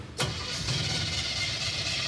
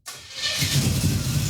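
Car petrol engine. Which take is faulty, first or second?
first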